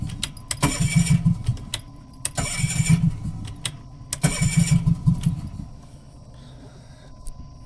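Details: Three separate bursts of steady starter chugging, each a second or two long, and the engine never catches: it cranks but won't start.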